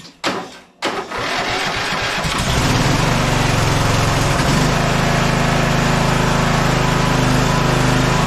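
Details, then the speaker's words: Scotts 15/42 lawn tractor after fixing key-switch wiring with a spare solenoid, engine oil very low on a cold day: a couple of clicks, then it catches and settles into a steady, even idle with no misses. "let's put that key switch in the right place and this thing should fire up now"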